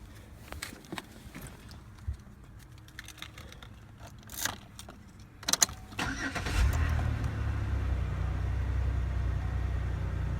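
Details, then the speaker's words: 2006 Chevy Impala, sat two years, first start after engine degreasing: rattling crank, catches at about six seconds, settles into a steady even idle with no smoke; normal cold start. "And there is no smoke coming out. I swear to God, this car sounds like it's running it, too. But like I said, this thing has been for 2 years."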